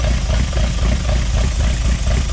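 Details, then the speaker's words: Project Zero 18 engine on first start after build, Emerald ECU, throttle bodies being synced for airflow, good oil pressure, first heat cycle: steady even idle just under 1000 rpm, smooth pulse, no misses or knocks; running cleanly. "give her a couple revs she sounds good though what are we idling we're idling at a little less than a thousand rpm"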